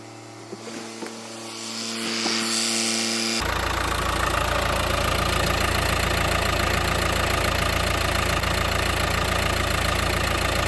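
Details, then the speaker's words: 2015 Mercedes A180 1.5 CDI diesel, Renault K9KF452 engine, before the oil change: cold start with brief clatter, settling into a steady even idle around 214 beats a minute with no knock or miss, left 10 minutes to warm the oil; healthy. "Now that it's running, we're just going to go back outside, have a good look at it, make sure it's not leaking. Then we'll just leave it running for 10 minutes just to get the engine warmed up before we drop the oil."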